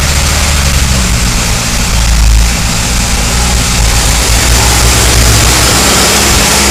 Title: Loud engine noise